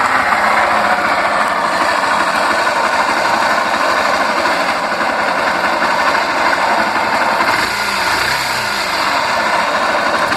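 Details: Honda Fan 125 small single at idle: busy, rattly mechanical clatter, fairly constant; a mechanic called for cylinder, piston and top-end rebuild, owner suspects something simpler like oil pump or clutch; source unconfirmed.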